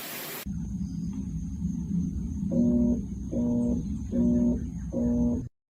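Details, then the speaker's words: Amana washing machine: four repeated low steady hums about a second long, with nothing spinning up between them; the motor is energised but not turning, possibly a stuck motor or bad capacitor. "If you hear that, then what you could be encountering is a motor that's just stuck. But in some cases, it could be the capacitor."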